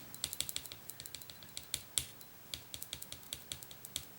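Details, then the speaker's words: 1994 Saab 9000 fuel injector on a test holder after cleaning and rebuild: sharp, bright ticks about five a second from the injector coil firing while the injector stays shut. "I can hear the coil in it pinging. They just don't want to open."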